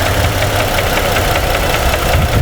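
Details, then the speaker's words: 2017 Ford F-150 3.5 V6 after new phasers and timing chain: steady idle with an even tapping knock about five times a second; engine knock at idle, cause not yet confirmed. "I got a double knocking sound when I unplugged 2."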